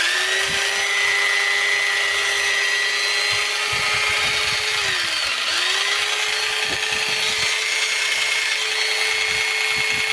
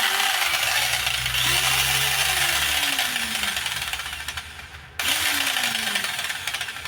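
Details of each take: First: Makita 4329 jigsaw after gearbox repair with new parts: high motor whine rises, holds and drops twice, light clicks, no gear knocking; not perfectly quiet but much quieter than before. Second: Makita 4329 jigsaw with gearbox knock, after reassembly: motor screams at full speed with uneven knocking throughout, still knocking; a bent part may need straightening, suspected from worn gear and loose pins.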